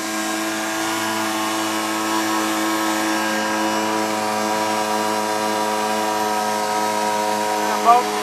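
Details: Sears 1.2 HP air-cooled outboard, over 38 years old, steady even buzzing drone with no misses, knocks or surging; running normally on the boat.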